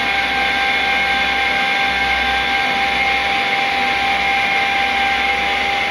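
Hard steady whine with a sharp fixed tone and hissy airflow over it, no change in speed; compressor sounds abnormal.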